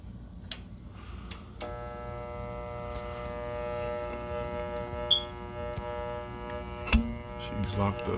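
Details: Goodman gas furnace on a no-heat call, thermostat calling for heat: steady electrical hum with even tones but no spin-up or air rush. Power reaches the inducer motor but it is locked and not turning; no fault codes on the board.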